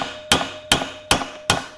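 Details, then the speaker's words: Honda XL185S engine bottom-end rebuild, new crank bearings being hammered in: four even blows with dull thud rather than clear ping, indicating the bearing not yet fully seated. "that's dull boom you hit that ping same with this other one boom it's in"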